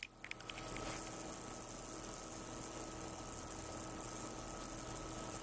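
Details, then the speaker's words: Switching power supply at 2 A full load, output sagging from 12 V to 11.7 V: faint steady whine with mid-pitched hum and high hiss; switching noise persists. "E o ruído persiste."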